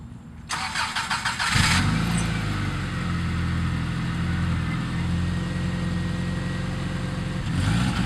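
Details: 1997 Subaru Outback with unequal-length headers and stock exhaust downstream: the starter whirs and the engine catches, then settles to a steady lumpy boxer burble with no puffing or ticking from an exhaust leak.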